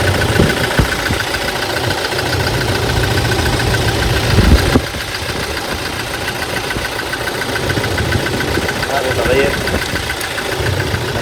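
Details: Toyota Hilux 2018 diesel (code P0301, cylinder 1 misfire): uneven, lumpy idle with irregular knocking that breaks the rhythm; cylinder 1 misfiring, injector number one suspected faulty.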